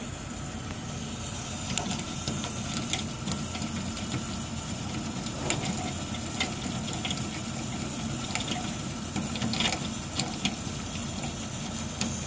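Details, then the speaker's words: Beretta bithermic boiler (no plate exchanger) heating hot water: constant rushing and bubbling with sharp ticks and bangs from the top, probably water boiling in a limescale-clogged exchanger; stops once hot water is closed; fix is acid descaling pump. "a questo rumore che probabilmente è sopra l'acqua che bolle all'interno dello scambiatore."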